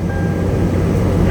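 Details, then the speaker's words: Salvage-auction vehicle with sunroof, minor damage, no airbags deployed, just started: steady, even low rumble without knocks, ticks or misses; sounding great, no check engine light; normal idle. "Sounding great. Nice."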